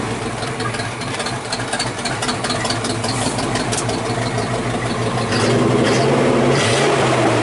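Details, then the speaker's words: 1979 Chevy square body 3/4 ton 350 V8, restarted after sitting about 23 years, temperature unknown, still warming up: steady even idle, no misses, smooth clean rise when revved; normal idle and revving. "just sits there and purs like it shut off yesterday yeah pretty cool a't it"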